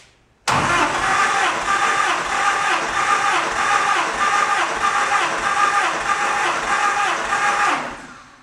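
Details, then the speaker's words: 1949 Willys pickup with an F134 engine, cranking for a compression test after brief running and warm-up: the starter spins evenly with steady compression pulses; readings were about 120, 110, 105 and 105 psi, up from about 50 earlier; normal cranking. "I want a compression test now that I've run it just a little bit, warmed it up, got things kind of oiled up, and let's see what we get."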